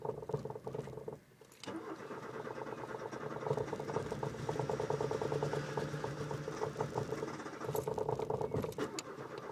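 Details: Car Peusje, filmed just before its last trip to the junkyard: long labored cranking with uneven turnover before finally catching and settling into a rough run; hard starting.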